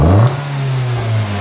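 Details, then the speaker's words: Snap-throttle step of an engine vacuum test with gauge connected: engine blips sharply and settles to a steady hum without stumble; vacuum drops to zero then rises above the starting 19 inHg, a normal response. "and we can see vacuum comes down to zero and then goes higher than the 19 that we started with I'll do it again and we can see the same thing happen I went all the way down to zero it went to zero because we open the throttle plate"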